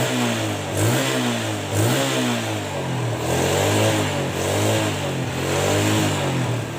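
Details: Yamaha Jupiter Z engine after rebuild to cure rough engine noise; revs rise and fall cleanly in repeated blips with no knocking or rattle: now smooth, normal running.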